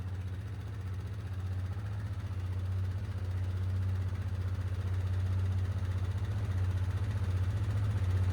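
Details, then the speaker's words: 2010 Polaris Sportsman 550 XP ATV, 469 hours, 3,000 miles, just started after stripped oil drain plug repair, idling to circulate oil: low, even single-cylinder putter about four beats per second; healthy idle. "We'll let her idle up for a few minutes, get that oil circulating, shut her down, and then recheck it."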